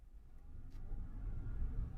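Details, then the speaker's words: 2014 Chevrolet Silverado after replacing a bad U-joint: low road and engine rumble building under load on acceleration, with no sign of the earlier wet-rubber squeak that had grown faster with speed. Driveline now quiet. "yeah it's nice and quiet now so before here on like on acceleration when it was under load you could hear that squeaking and it sounded like rubber like rubber kind of squeaking on rubber like a scuba suit getting faster and faster and faster here we go"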